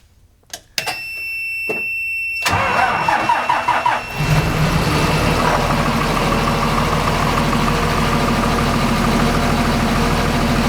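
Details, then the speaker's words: Transit bus diesel after ECM upgrade to 300 hp and 650 lb-ft torque, speed limiter deleted: brief crank, catches and settles into steady even idle without knocks or misses; healthy start. "so it all starts right back up and I'm very excited about that"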